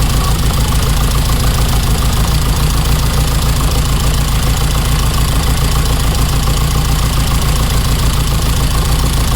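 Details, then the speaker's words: 1987 car at idle runs lumpy and uneven, with one cylinder definitely not firing; it is sparking, and the owner suspects a spark plug or injector but cannot remove the plugs without a special tool. Misfire at idle. "So this cylinder over here is the one that's definitely not firing at the moment, and whether it's a spark plug or an injector is hard to tell because I can't get the spark plug out."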